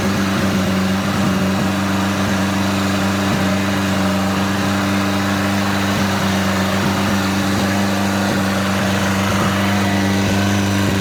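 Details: Junkyard 1984 2.2L Chrysler turbo engine from a Dodge 600, previous engine fire, modified distributor, cleaned fuel rails, Holley HP ECU, running on engine stand at about 2,000 rpm: steady fast idle with faint light tick, fires cleanly; oil pressure questioned as possibly low.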